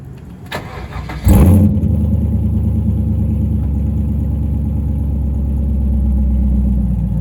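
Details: C5 Corvette Z06 V8 with upgraded exhaust: short crank, fires into deep, steady, even burble with throaty exhaust note, settling to idle; more sports-car sound but not too loud. Normal start and idle.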